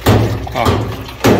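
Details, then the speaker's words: Electrolux Essential Care 11 kg washing machine, nearly new: two dull heavy thuds about a second apart as something strikes the side panel; a loose internal hose knocking against the cabinet. "parece que tem alguma coisa batendo aqui na lateral tá sinceramente eu não sei o que que é vou desmontar agora para vocês poderem ver junto comigo só um minutinho"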